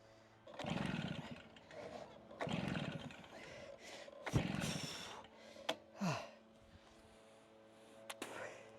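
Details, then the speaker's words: Stihl BR380 backpack blower, about 14–15 years old, started without choke as a service tech advised, though the owner feels it needs throttle; repeated cord pulls about every two seconds with no firing. Cause not confirmed. "So I've tried to follow that, but it seems like I need to give it throttle just to get her going."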